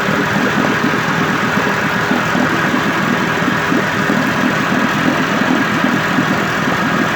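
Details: 1958 Evinrude 18HP Fastwin two-stroke outboard with replacement powerhead, new head gasket, rings, crankpin needle bearings and NGK B6S plugs, on heavy 30-weight oil mix, smoking slightly, cover on. Steady, even buzz of constant pitch, no misses, knocks or rattles: normal idle.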